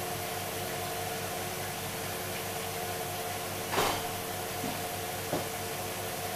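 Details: Hoover Dynamic DXCC69IB3 9 kg washer, final spin at full speed: soft, even hiss with faint steady hum and a couple of light clicks; drum barely making noise, sounding healthy.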